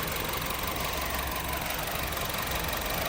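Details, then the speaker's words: Honda City with a shaking engine, flashing engine light, limited to 2,000 rpm and 40 km/h: uneven, shaky idle with irregular stumbles about three a second; one cylinder misfiring. "ตรวจสอบเบื้องต้นเกี่ยวกับระบบไฟแล้วก็อากาศคันนี้เครื่องยนต์เขย่าเลย"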